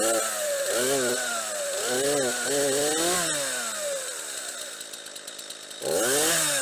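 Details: Stihl MS 231 chainsaw after sprocket replacement, test run with bar, chain and cover refitted: revs blip up and drop back cleanly in quick bursts, then settles to idle with no rattle; runs fine, normal running.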